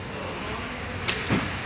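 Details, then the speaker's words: Peugeot 408 driven over patched asphalt, rear wheels: steady road rumble, a few dull bump thuds and no rattle; the right rear noise, first thought to be suspension, was the bumper, fixed with a new rubber bushing. "a gente achou que era alguma coisa na sua extensão e não é ela que é só pediu para choque observar o barulho"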